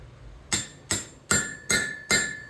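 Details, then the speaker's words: Honda J-series head on the bench: five light hammer taps on the valve seal installer; from the third, each rings with a clear metallic tone as the seal seats fully in its recess. "All right, it gets tingy. You hear it rattle through or impact all the way through the head."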